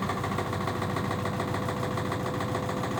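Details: LG 1007 SNW 7 kg washing machine: continuous loud drumming rumble with a rapid steady rattling throb as the drum turns and heavy vibration; problem stopped while others were present but returned; cause unclear.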